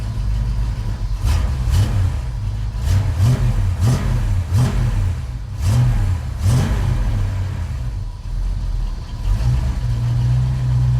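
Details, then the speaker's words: 1989 Chevrolet S10 pickup V8 idling at about 500–600 rpm with 60 psi oil pressure and about 13 V: deep, slow, lumpy but steady burble with no knocks or ticks; normal idle. "Yeah, she idling about 500 or 600 RPM, but good oil pressure, 60 pounds."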